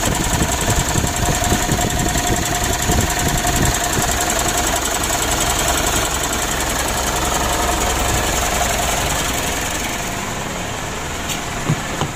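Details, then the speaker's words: Mitsubishi Pajero Sport Exceed diesel, cold start: harsh, uneven idle with a lumpy clatter, said to be worse when hot; mechanic suspects the idler bearing or tensioner and will check the camshaft and supply pump; rough engine noise. "kita matikan mesinnya sudah sama-sama kita coba ya Dan kita dengar itu memang betul ada suara kasar pada mesinnya ya"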